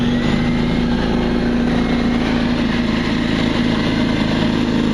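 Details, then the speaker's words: New open-box DeWalt D55146 oilless 200 psi compressor, 4.5 gallon tank, 5 SCFM at 90 psi, filling the tank: steady even motor drone with light pump buzz, no knocks or rattles, surprisingly quiet with little vibration; healthy. "surprisingly quiet too. Doesn't vibrate much also."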